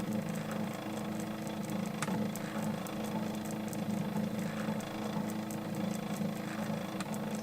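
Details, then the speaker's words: New-in-box circa-1985 Epson DX-10 daisy wheel printer, paper advance via button: low steady motor hum with light clicks as paper steps through, no grinding; advance seems to count button presses; normal paper advance. "I think it's taking into account how many times I push the button"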